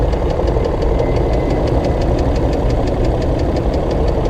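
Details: BMW X5 E53 engine, knock appeared right after VANOS repair, heard from the rear at idle: sharp even tapping about six times a second; deep internal engine knock, source unconfirmed, engine may need disassembly.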